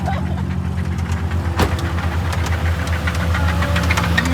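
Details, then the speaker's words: Nissan 350Z drift car, three months after purchase, which died pulling away from a light: on restart a steady rapid deep knock rides over the rough idle. The owners call it straight rod knock; suspected, not confirmed. "it sounded like rod knock. I'll be completely honest with you. Try to start it. Oh my God. Straight rod knock the motor."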